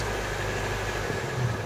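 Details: Striker FV102 Swingfire CVR(T) tracked vehicle engine, August 2010: rough lumpy idle with uneven low beat and occasional dropped firing pulse, misfiring badly from a stuck valve; engine later replaced with a spare.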